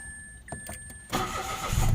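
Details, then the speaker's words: Mitsubishi Mirage with hard starting and stalling on acceleration, after spark plug replacement: engine fires at once and settles to a steady, even idle; problem was a worn, powdery spark plug. "Ayan normal na siya bumalik siya sa dati. So madaling sabi spark plug lang ang naging problema niya."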